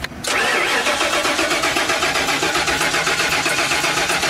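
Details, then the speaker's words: 1995 RV being converted to a mobile classroom: starter cranks steadily, about four turns a second, with no firing at all; crank no start, no fuel appears to reach the engine. "nothing there's no fuel getting to it not that I can tell at least"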